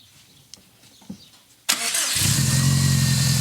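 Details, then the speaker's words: 2015-2020 Subaru STI 500 WHP build, second first-start try after refitting stock MAP sensor: faint clicks, engine catches at once, settles into steady even idle, no issues; normal start. "Oh, look. It started just right up. No issues."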